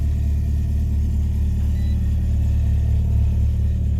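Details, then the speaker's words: Nissan Silvia S13 after a fuel-system rebuild, cold start in Park firing right up: steady, even low hum at a raised idle of about 2,000 rpm, no knocks or misses; normal cold high idle. "so now we'll turn the key and she fires right up engines cold so it's going up to 2,000"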